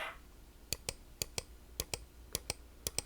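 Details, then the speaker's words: New old stock Microsoft Mouse 2.0 replacing a 25-year-old one: five crisp press-and-release click pairs, each sharp and single with no chatter or double bounce; button switch working properly. "it's nice and sharp you know making one click"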